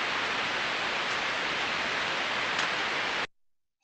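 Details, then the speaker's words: Ultrasound headphone recording of a bearing six months on, one of seven bearings reading 0 dB: an even, smooth hiss with no clicks or impacts over 15 seconds, so the bearing is healthy. "again smooth and uniform so that was what we would want to hear and to be honest after six months that's what I would expect to hear"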